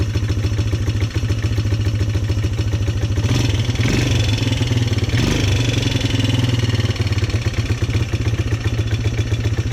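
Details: Polaris Sportsman 300 single-cylinder ATV during tune-up work: starts right up with a steady, even thump, no misses or clatter, holding speed cleanly; running a lot better than before.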